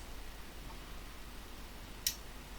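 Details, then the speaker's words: Dick Smith Q-1760 bench power supply after repair and new capacitors: one crisp click in a quiet room as the voltage is turned back down from about 30 V; the changeover relay drops out cleanly, working normally. "Hear the relay click off and we can go all the way down to the low end voltage and it doesn't do anything weird."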